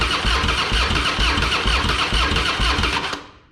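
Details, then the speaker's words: Harley-Davidson Fatboy with Screaming Eagle kit (new heads, ignition, pipe), first start after sitting a couple of years; fresh high-octane fuel, Mobil 1 20W-50, battery tended overnight: starter churns in steady pulses, never fires. Crank no-start, fuel valve left off. "thank you hmm interesting it's helpful if I turn the fuel on first idiot"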